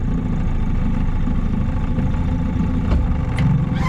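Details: Outboard on a $700 auction boat at full throttle on the lake: loud low buzz breaking up with spits and stumbles; misfiring and sputtering, which the owner suspects needs carb tuning or time to burn deposits off.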